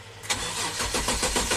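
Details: 2005 Kia Sorento 4x4 with intermittent crank no-start that became permanent, fuel pump and crank sensor already replaced: short burst of steady, even starter cranking with no firing; engine computer not communicating, dealer diagnosed ECM failure.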